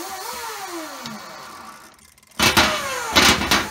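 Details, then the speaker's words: RC brushless motor with Castle Mamba X ESC, sensor wire unplugged: whine sweeps smoothly forward and reverse with quick clean responses; runs normally sensorless, malfunctions only when sensor wire is plugged in. "if i unplug this sensor wire here unplug that it works perfectly"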